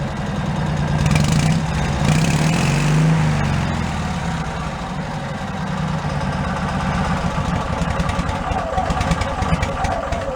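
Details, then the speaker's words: Cushman meter maid small engine with new custom muffler cut from a motorcycle muffler, running on a stand: light quick ticking over lumpy idle; valve clatter, valves need adjusting. "Definitely gotta adjust the valves now. Now you hear the valves clacking."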